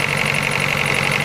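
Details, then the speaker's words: Ford Focus SVT: fast, high chirp in step with idle engine speed, following the engine pace with throttle, from the upper engine area; exhaust manifold gasket replaced and pulleys and tensioners checked, source still unknown. "it comes on at idle speed engine speed every time i uh put a little throttle in it it gets louder well not louder but just the same pace as the engine"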